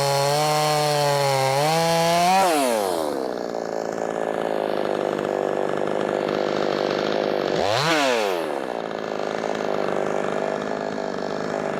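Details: Brand new, unbroken-in Wemars 6220 clone chainsaw, tuned leaner from rich factory setting: loud screaming high revs pulling down as chain bites, recovering quickly, crisp two-stroke with good power; normal running under load.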